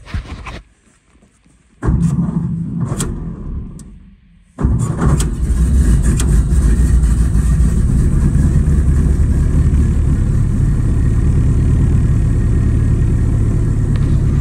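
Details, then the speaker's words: 1930 Ford Model A coupe, high-compression Snyder's head, touring cam, 6-volt, original Zenith carburetor, 10W-30 oil, started at -5°F after sitting over a month in a barn: few cranking bursts, then steady even idle, clutch depressed; healthy cold start. "I know I have 1030 in this oil in this motor, not really advised to start these up in this cold weather if you don't have to, but just wanted to see if it would start."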